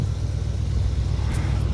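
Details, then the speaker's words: 1978/79 Chevy K20 4WD V8, sat about 15 years, idling on fuel poured into the carburetor bowl, possibly old fuel, and smoking. A low, even V8 burble holds a steady idle with no knocks or misses. Normal idle. "It runs. As long as there's fuel in the bowl. But it is running. Didn't sound like it had any crazy knocks or anything."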